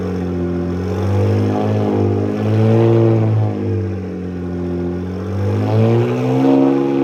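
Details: Freshly built BMW 335i N54 twin-turbo six (MMP 53/53 ceramic ball-bearing turbos) on first-startup break-in, oscillating 2,000–2,500 RPM to seat piston rings; fast even hum swelling and easing, running clean.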